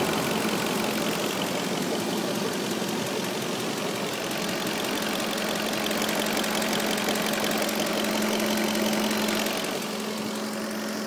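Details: 2003 Audi A8 4.2 V8 running: a fast, light tick rides steadily over the engine and keeps pace with idle, recently developed, owner thinks it comes from in or near the right side of the engine; cause unknown.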